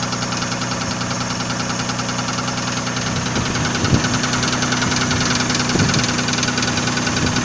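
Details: Nissan VG30E engine at steady idle: a light, irregular knock roughly twice a second over the engine note; owner asks what is knocking, cause unknown.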